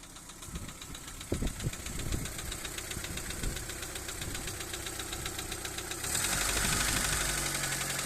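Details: Daewoo Nexia 1.5, second generation, knocking after a backfire while driving; hydraulic lifter repair changed nothing: at idle a steady rapid tapping knock, roughly four per second, over the engine note; internal knock, cause not yet pinned down.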